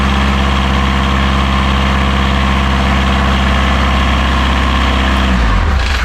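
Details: Diesel genset on catamaran Marram, bench-tested and reinstalled in its locker, restarted during lithium battery bank commissioning after a reverse-voltage check; steady, even low thrum at constant speed, no knocks, then winds down cleanly at shutdown; healthy.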